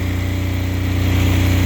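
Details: Apache diesel generator with no glow plugs, in freezing weather, after heat put on the needle that was likely stuck or iced up: small diesel holding a steady low thrum with an even beat, no stumbling; normal running.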